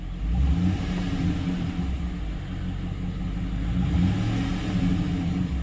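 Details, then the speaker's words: Truck V8 with long tube headers: smooth even idle, no surging, ticks or missing; earlier cylinder four misfire gone. Normal idle. "motor sounds really good not missing no ticks running smooth"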